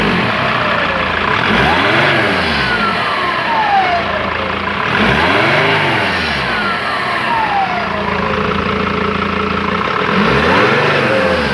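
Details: Mercedes W210 2.7 CDI diesel revving up and down, with a thin whistle climbing and falling with each rev. The owner asks why the turbo whistles; cause not identified.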